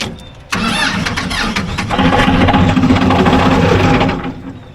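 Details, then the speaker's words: Ford 2120 diesel tractor that sat for years, first start without glow plugs activating: quick crank, fires and climbs to hard high-rev roar, never settling; throttle cables rusted tight, stuck wide open; loose injector squirting diesel. "Okay, she's like going full throttle, so we got to make sure she don't run away."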